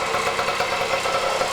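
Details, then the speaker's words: 1977 Kawasaki KD100M, a 100cc rotary-valve two-stroke with 5-speed, barn-stored for years and first run in a long time: a crisp, buzzy ring-ding idle with even popping and no knocks; running good. "I remembered to press record though, and we saw the motorcycle start and run for the first time in a long time. Sounds good too."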